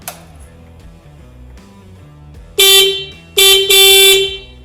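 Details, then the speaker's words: 2019 Honda Grom stock factory horn before replacement: two short honks and one longer, thin, quiet steady high buzzy tone; works but weak. "Now, a horn modification might not sound like a whole lot of fun, but if you've ever heard the stock horn on the Honda Grom, you'll know it could really benefit from an upgrade."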